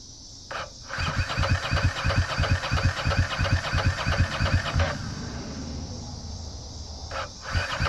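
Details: Ducati ST4s cranking but not starting after dying on a shakedown ride: steady starter cranking about three compressions a second, never fires; injectors not firing, fuel pump only intermittent, owner suspects a wiring harness fault.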